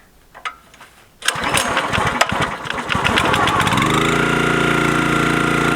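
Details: New Chinese-made log splitter's small four-stroke engine, first start with choke: rattly pull-start catches after a second, revs to a steady even drone; normal start and run.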